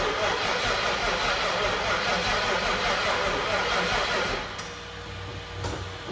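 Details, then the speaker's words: 2004 (or 2003) Mustang Mach 1 with twin turbos and a possibly built MMR engine, on a swapped-in battery after turning over slowly: the starter churns steadily but it never catches. The fuel gauge was very low and fuel pressure reached only about 20, so it is likely out of fuel. "I'm wondering if it's out of fuel the gas gauge is super low and uh sounds like no fuel we'll check the pressure quick"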